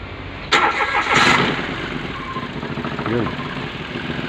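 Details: Mitsubishi Mirage G4 with a no-crank no-start complaint, starter jumped directly at the starter relay to test it: two short cranking bursts, then the engine catches and idles steadily; starter is good, fault lies elsewhere.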